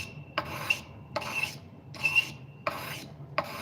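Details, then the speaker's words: Knife blade sharpened on a whetstone; steady rasping strokes with a thin high squeak where the edge catches the burr to be pulled out. "That's when we're hitting that spot we want to pull out."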